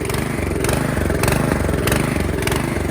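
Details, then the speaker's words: 2017 Troy-Bilt Storm Tracker 2690 XP snow blower, after storage with fuel drained, hunts at idle about every 0.6 seconds at lower choke and runs smooth only on partial choke. A clogged carburetor idle circuit is suspected, and the carb was replaced. "It only wants to run smoothly with a partial choke on, which leads me to believe the carburetor possibly has the idle circuit that has clogged. So here it is running with a partial choke on. If you give it more choke, it smoothens out."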